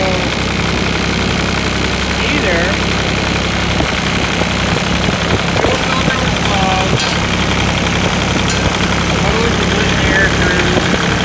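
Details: New Holland TC33 diesel tractor that sputtered and died, now idling after a new fuel filter, new fuel line and air bled at the 13 mm bleeder bolt: steady, even clatter with no stumbling or dying out; normal idle.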